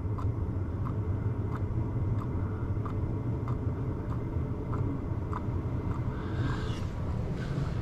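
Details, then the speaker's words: Chinese diesel parking heater with a silent aftermarket dosing pump, tested for a month down to 2–3°C, mic held close. A low steady fan rumble with faint soft ticks about every two-thirds of a second; normal running with a very quiet pump. "Oh my god, you can barely hear it. Can you hear it? Unbelievable. That is so quiet."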